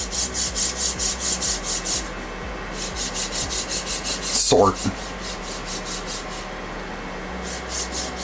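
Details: Voron 2.4 3D printer kit build: harsh, scratchy rasp on each back-and-forth slide of the linear rail carriage, several strokes a second; rail running dry, sounds damper once grease is worked in.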